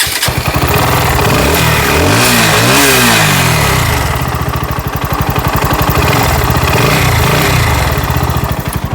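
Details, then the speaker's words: Bajaj NS160 BS6 engine after fixing a loose timing chain that had been touching the head and clanging: an even beat rises through a rev and settles back, with no chain rattle; now quiet and healthy. "पहले अब शुरू में इसका आवाज सुने हैं किस type से था और ये पूरा साइलेंट हो गया है"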